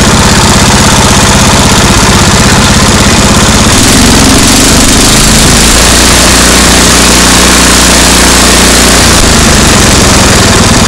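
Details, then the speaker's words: MTD 8 hp two-stage snow blower, Tecumseh engine sat about 10 years, after carburetor work and backing the bottom mixture screw out: loud consistent single-cylinder idle thump, no hunting or missing; idling properly, slight sputter only when pulling up to speed. "Alright, it sounded pretty good now. Idling like it should."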